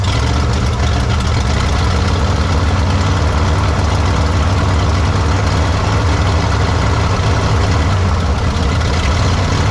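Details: 1953 Studebaker Starliner, 6-volt, off the road possibly 45 years, odometer 38,360 miles (possibly 138,360), plugs, wires and points possibly original: first start after storage, deep fairly even idle, no clear misses, needs tune-up.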